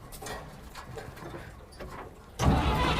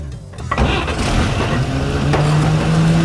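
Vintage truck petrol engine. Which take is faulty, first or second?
first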